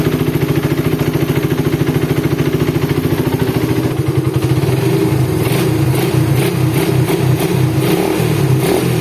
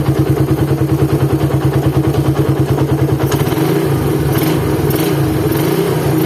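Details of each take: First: Suzuki Satria FU single-cylinder after rebuild replacing failed crankshaft bearing, balancer reassembled with timing marks aligned: even, steady idle with light throttle blips, no knocking or rattle; smooth idle after repair. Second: Suzuki Satria FU single-cylinder engine, cold start: coarse knocking beat about three times a second at idle, roughening with revs, said to worsen when hot; teardown confirmed a badly worn crankshaft bearing with play in all directions.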